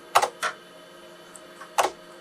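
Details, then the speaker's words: IBM PC AT 5170 floppy drive reading a DOS boot disk. A few sharp ticks come in quick pairs as the head steps; it boots DOS 3.31, so the drive is reading normally. "let's put a boot disc in here and see if it'll boot into Doss okay it sounds like it's reading the disc there"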